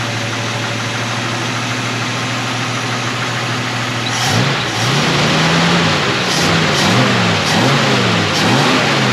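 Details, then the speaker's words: AMC 258 straight six in a 1946 Studebaker truck with a new eBay BBD knock-off carburetor, idle around 750–800 and idle mixture just adjusted: smooth idle, quick throttle blips climb cleanly and fall back without stumbling, seems strong; normal rev response. "seems pretty strong let's take it for a little rip here and see how it does"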